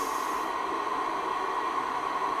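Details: Icom IC-R8500 receiver with an intermittent fault in a freezing workshop, working again after the frequency reference was unplugged. An even, steady hiss with a faint constant tone and no dropouts or crackle; the receiver is working normally for now, and whether it will keep working is uncertain.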